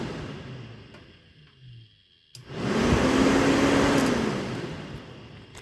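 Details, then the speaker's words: Acura Integra electric radiator fan, newly wired through a fused 30 A relay controlled by the factory fan switch: sharp relay click, then the fan spins up to a strong, steady whoosh that eases off; normal operation. "so you can hear the relay clicking and then you can hear the fan um you know you can hear that coming on"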